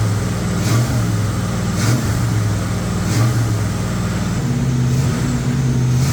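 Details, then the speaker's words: Freshly rebuilt 1958 Apache V8 on first start, held around 2000 rpm for cam break-in with coolant added: deep, smooth steady rumble, no knocks or ticks; healthy normal running. "Our Matt's truck's running. We just rolled it over. We got it set at 2 grand-ish."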